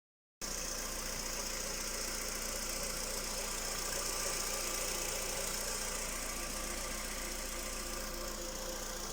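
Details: Skoda Rapid 1.6 CFNA 105 hp idling: light, fairly regular tapping about four times a second over hiss; engine knock, source not pinned down.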